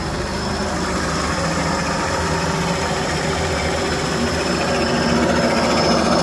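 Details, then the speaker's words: Old engine after long storage, second start, idle control stepper motor removed so it cuts out at tick-over, pedal propped to hold revs; steady slightly raised drone without stumbling, probably burning off old oil; steady fast idle. "That sounds good. Wow, that's fantastic."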